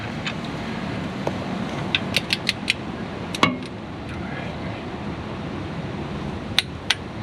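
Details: 2001 Ford E-450 chassis RV front brake job: torque wrench set to 24 ft-lb (spec 17–30) gives short sharp metallic clicks, a few in quick succession and a pair later, as it releases at set torque.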